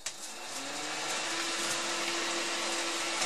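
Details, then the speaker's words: Old bathroom ceiling fan after cleaning and lubrication: spins up to a steady hum and airy whoosh with no rattle or buzzing; runs quiet and even. "splendid nice and it's not making rattling noise because this resonating plate was now installation"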